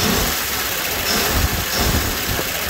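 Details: 1960 Grumman Olson Kurbside step van after new hoses, belts and tune-up: even, steady mid-pitched idle with no knocks or misses, warm with thermostat opening; running healthy.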